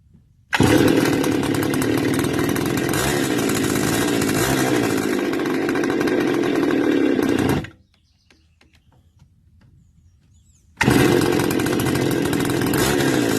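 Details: Stihl FS280 brush cutter two-stroke, with muffler modified, air filter clean and no air leak found: screams at high revs about seven seconds under throttle then cuts out dead, restarts and picks up again; stalls under throttle, cause unclear.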